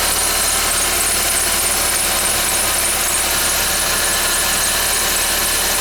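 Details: 2011 Ford Fiesta with only 10,000 km, cold start: a thin high squeal holds constant, without rhythm, over a steady cold idle; the cause is not confirmed.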